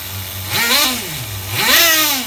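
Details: HPI RS4 Nitro F150 pickup RC truck glow engine on 16% nitro, retuned after overheating to ~350°F: crisp high-pitched blips rising and falling cleanly with throttle, no sag between revs; well tuned.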